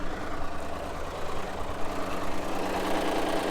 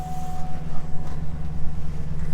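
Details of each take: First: Push-start car at a Copart auction that started right up but sounded rough. Idle with fast, uneven top-end chatter about twice a second, so it was shut down; the engine oil pressure warning came on. Valvetrain noise, possibly from low oil pressure. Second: Auction vehicle with 182,000 miles and the check engine light on, engine bay open, no aftermarket parts, a wire loom missing. A low, even idle hum with no knocks, ticks or misses. Runs smooth.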